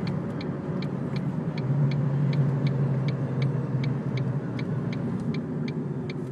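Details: 2002 Ford Focus while driving: steady road rumble with light regular ticks about twice a second from the driver's side front; cause found to be a bottomed-out coilover, since fixed.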